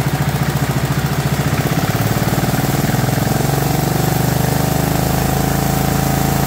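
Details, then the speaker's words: Warm 2004 Murray lawn tractor, 12.5 HP Briggs & Stratton overhead-valve engine, idling after sticky choke linkage was cleaned (it had been flooding) and the carburetor adjusted; steady fast even thumping with no surging or misses, running properly. "got the carburetor adjusted I just want you to hear it running properly instead of running all choked out so we started it's all warm"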